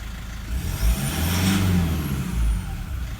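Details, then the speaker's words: 2012 150 Prado 1KD-FTV diesel, about 150,000 km, new injectors, pilot learn not yet done: quiet even running with soft low rumble and smooth light revving, no knock or rattle. "Should be nice and quiet like that. Hilux is a little bit noisier, they don't have the same amount of insulation."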